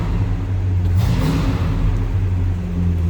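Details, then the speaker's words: 1967 Pontiac LeMans V8: cold start, deep even rumble held at raised high idle with one brief blip while warming up; normal. "Let this warm up a little bit, come off high idle. That was a cold start."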